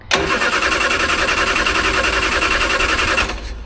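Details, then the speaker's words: Triumph Herald with Stromberg carburettor, choke on, after fuel pumped through: starter churns steadily for several seconds, engine never fires. Owner suspects jet needs adjusting and mixture not rich enough; jet found wound all the way in. "I think the jet needs to be adjusted. I think it's not running rich enough because I had to put my finger in to get it to work."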